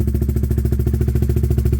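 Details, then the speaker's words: Honda CBR125 streetfighter project, single cylinder, started cold to warm up for pre-MOT checks on a weak battery: it ticks over at a steady, even idle pulse with no misses or knocks. The idle sounds healthy. "So let's fire it up so that it can warm up for a bit."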